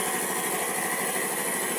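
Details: 5hp piston air compressor after replacing the piston pin and piston bearing, refilled with oil, building and holding air pressure: steady, smooth hiss and hum with no knocking or clatter; normal running after repair.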